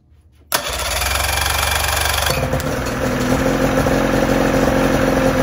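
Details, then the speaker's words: 1984 Johnson 28 SPL outboard after cleaning stuck carburetor float and needle that blocked fuel to the bowl. Cranks, catches at once, settles into steady even two-stroke idle with crisp buzzing exhaust: normal start and idle. "so everything is tight back here electrically good good so now let's crank it up and see if it'll run"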